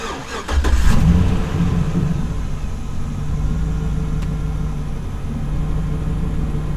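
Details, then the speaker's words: 2008 GMC Sierra with an intermittent hard-crank problem, restarted about 10 minutes after shutoff following a new fuel filler cap: brief crank, catches quickly and settles into a steady, even idle; starts normally. "okay let's try it again see what happens cranked pretty good"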